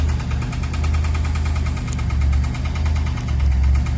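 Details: Newly bought project car at idle: heavy low rumble with an uneven deep knock about once a second, fairly rattly; owner suspects a spun bearing.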